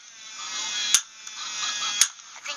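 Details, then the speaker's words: Thin motor whine from a robot head with a sharp snap about once a second as it turns past its limit. The owner suspects a missing stop switch on the circuit board, and suspects the over-travel broke the fingers. "I think there's supposed to be some kind of switch that stops IT or something I don't know there was something that supposed to stop it from doing that"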